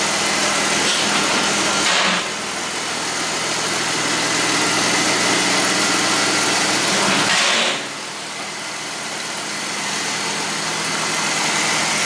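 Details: 2001 Ford Mustang V6 automatic after engine swap: steady, even idle, light hiss, good oil pressure, no knocking, ticking or smoking, though temperature gauge never moved; normal idle.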